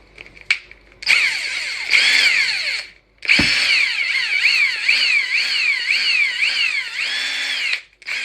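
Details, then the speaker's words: Ingersoll Rand impact gun after cleaning, lubricating and reassembly, previously noisy and mechanical-sounding: it spins free in short trigger bursts with a clean rising and falling whine and no dry rattle. Runs smoothly now. "it definitely sounds different now that I did that used to sound like like there was a lot of mechanical stuff going on it's like there's a lot of smoothness in there"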